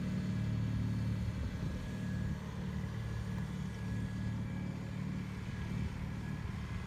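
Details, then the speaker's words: 1974 Bolens HT20 garden tractor on outdoor test run after replacing a coil burned out when the ignition was left on after a stall (fuel issue suspected): even low drone at steady speed, regular beat, no stumbles or knocks; healthy. "so that went pretty well it's good to get the ht20 running"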